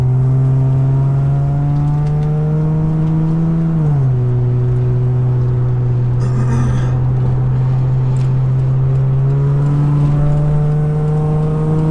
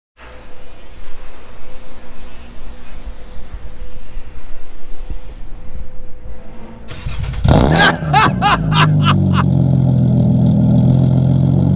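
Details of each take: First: Nissan Maxima with a swapped 75,000-mile engine and transmission, OBX headers and a new Vibrant Performance muffler, warm engine. A steady low drone that dips briefly and settles, with no rasp or rattle; much quieter than the old muffler, slightly deep. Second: Nissan Maxima with a swapped 75,000-mile engine, on the old muffler before its replacement, engine already warm (it was louder when cold that morning). A harsh, loud blatting rasp on revs settling into a heavy drone; the muffler is doing very little.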